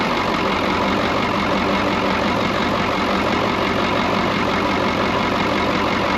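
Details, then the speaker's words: Brockway 358 truck, Cummins 555 diesel, after valve adjustment, adjusting loose injectors and tightening intake valves, intake dosed with starting fluid: steady even idle clatter, no knock or miss; sounds much better than before. "i'll be honest with you it sounds so much freaking better all i did was literally all that i really did was we just adjusted whatever injectors were loose and uh tightened up pretty much all the intake valves"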